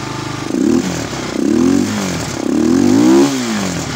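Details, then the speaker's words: Honda XR200 single-cylinder after repairing stator wiring and fuse on a no-start: revs blipped rising and falling cleanly with no misses; runs fine, though regulator then fails to reach 13–14 V charging. "Ayan Manda na siya So i-check natin yung regulator niya mamaya kung okay siyang kumarga"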